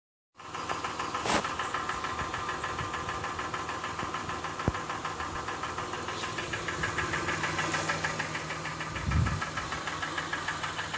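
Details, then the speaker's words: 2007 Honda Ridgeline, recently bought used, in park with AC and fan off, after revving: steady light ticking about three per second over the idle hum; engine knocking, cause unknown, dealer called it faint and intermittent. "this is the noise coming out of my car the car is in park the air conditioning is off the fan is off I've already revved the engine"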